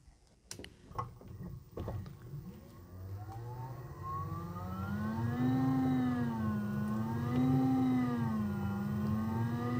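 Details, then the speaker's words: Broad Ocean 240 V ECM multi-speed blower motor, out of its squirrel cage on the bench: after clicks, motor hum climbs then swells and sags every couple of seconds; speed hunting, ramping up and down, acts differently when installed. "so you can see it's ramping up and ramping down but once again I have this out of the scroll cage so it's going to act a little bit differently than when it is installed in the [Music] system"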